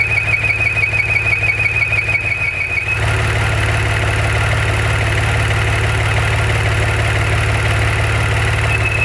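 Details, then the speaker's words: Maserati Ghibli: a steady high-pitched howl starts a couple of seconds after start-up at idle and stops when the dipstick is pulled. This points to the blow-by breather (oil vapor recirculation/PCV) pulling vacuum; the fix is replacing the breather pipe assembly. "So note, it doesn't start making the noise right away. Only after the engine's been running for, say, a couple seconds."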